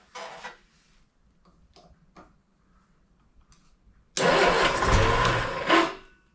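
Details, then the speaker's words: 1971 Triumph Spitfire Mk III four-cylinder, first start attempt after 14 years, jumpered ignition coil: brief cranking bursts, then coughs and roars roughly about two seconds before dying; flooded with fuel. "Yeah, I know. I just drown it. It's That's always worse."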